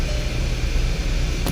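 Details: 2011 VW Tiguan 2.0L turbo crank-no-start with code 01259 fuel pump relay open/short: with pump jumped, engine catches and settles into steady even low rumble, no misfire or knock; fuel pump module suspected bad; running properly.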